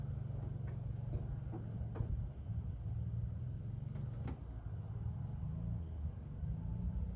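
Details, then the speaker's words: 1962 Rambler American body swapped onto a 2001 Honda Civic, catalytic converter cut out: deep rumble with sharp puffing ticks at idle and revs as exhaust escapes through a cracked cast-iron manifold, later welded to stop the leak. "the idea was to weld it to not have to hear the exhaust escaping through the crack"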